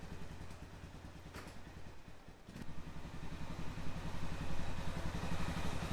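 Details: 2005 Honda TRX650 Rincon, 650cc single-cylinder four-stroke, after a no-run condition: even putter with steady firing that picks up toward the end, no knocks or misses; runs smoothly, though the carburetor may need slight fine-tuning adjustment.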